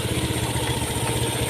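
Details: Fuel-injected motorcycle that stalled with codes 7 (EOT) and 52 (CKP), after repairing the broken EOT 5V signal wire and replacing the CKP sensor: steady, even low idle putter with regular firing beat, no misses or knocks; healthy.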